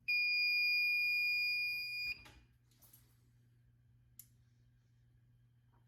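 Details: May fire alarm test: building alarm sounder holds a steady piercing high-pitched tone about two seconds, then cuts out to a quiet room; sounder works normally.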